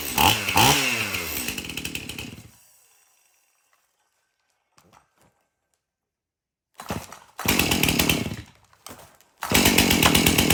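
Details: Stihl MS271 chainsaw, hard to start, suspected bad fuel; after tank found clean and fresh mixed fuel added: crisp rev drops back, pauses, fires up again in strong bursts; now idles and revs, runs pretty good.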